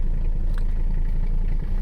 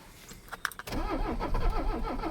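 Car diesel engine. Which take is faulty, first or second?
second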